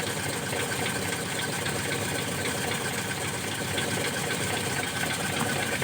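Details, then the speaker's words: Car with a newly installed TCI pulser module replacing the CDI ignition, engine cold right after starting; fairly quiet, even idle with no misfire stumbles or dropouts: normal cold idle. "Nah, nyala ya. Ini kondisi mesin dingin. Oke, kondisi mesin dingin. Ini kondisi mesin dingin langsung nyala ceker."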